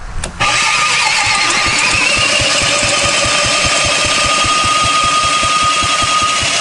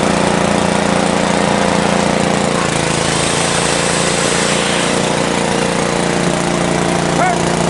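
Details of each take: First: 1970s Briggs & Stratton four-stroke generator engine built for Princess Auto, tried with and without choke: steady cranking at about four beats a second that never catches. Fuel is reaching it, but the points give no spark. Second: 1970s Briggs & Stratton generator built for Princess Auto: small engine drones at a steady pitch under load, with no misses or knocks; running evenly.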